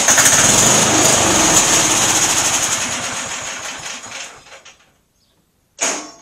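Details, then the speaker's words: MTD auction lawn tractor after full tune-up and new cheap fuel filter: small engine fires, runs briefly, sags and dies within about five seconds, short burst; stalls after starting. Owner suspects carburetor fault despite fuel reaching it, unconfirmed. "well i've narrowed down the issue to the carburetor it's getting fuel into the carburetor so there's something in there that's not clicking right or something probably needs a new carburetor"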